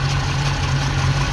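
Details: Ex-NZ Army V8 Land Rover idling after replacing military ignition with Mallory coil, optical unit, distributor cap, rotor and ballast resistor: steady, even low rumble with no misses or knocks, running smoothly.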